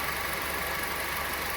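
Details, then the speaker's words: 2014/15 Honda Civic LXR 2.0 16-valve after repair of the accessory belt tensioner noise: smooth even idle, tensioner now steady, no rattle or knock; normal idle. "Ah então tá resolvido aí o nosso problema do Honda E olha como eu como tensão fica paradinho"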